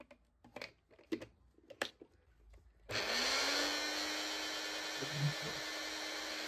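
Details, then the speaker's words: Mini mixer grinder after repair, run in series connection: a few handling clicks, then motor spins up quickly to a steady high whine that holds even; runs normally. "మీకు ఒకసారి on చేసి అయితే చూపిస్తాను చూడండి series లో అయితే run అవుతుంది కదా మనకి సిరీస్ లో అయితే రన్ అవుతుంది"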